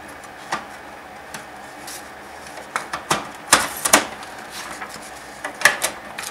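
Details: HP LaserJet P2055 reassembled after full disassembly, printing a 100-page test run: irregular clicks and paper-feed clatter with soft rolling between pages, no grinding or squeal. A little smoke was noted. Normal printing.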